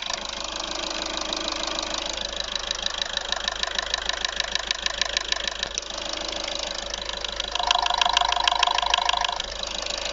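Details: Audi A3 1.6 TDI (CAYC) diesel idling: sharp regular tick about two per second over the diesel clatter, not fading, apparently toward the rear. Sluggish acceleration; top-end knock of unclear cause.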